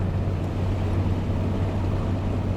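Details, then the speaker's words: Jaguar E-Type after total restoration, shakedown drive with new standard-spec stainless steel exhaust (not sports): steady, low, even exhaust drone while cruising, light wind noise from soft top, no knocks; very smooth and quiet, healthy. "It's not a sort of sports exhaust or anything like that. It's very, very smooth and quiet."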